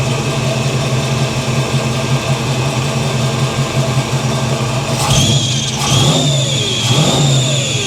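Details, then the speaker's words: 1983 Chevy C10 350 small block with new Holley 4-barrel carburetor, after idle adjusted: lumpy V8 idle, then three quick blips rising and falling cleanly with no popping or stumbling; normal revving, no longer backfiring. "all right she's running much more better"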